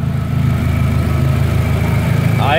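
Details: Toyota Hilux with about 400,000 km, after a major overhaul, tested and approved: steady, even idle with a smooth low rumble and no knocks or misses; the engine sounds healthy.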